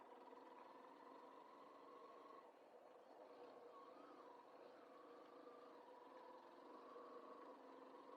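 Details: 2014 Yamaha Fazer 150 single after repair of a strange engine noise: ticks over evenly at idle with a steady, smooth note and no rattle or knock; sounds healthy.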